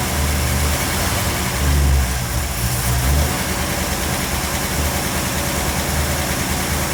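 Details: 1957 Bel Air with its carburetor rebuilt and remounted, fuel pressure confirmed and no bowl leaks: a deep, steady V8 rumble with a couple of light blips, even and unbroken throughout, running normally after the carburetor work.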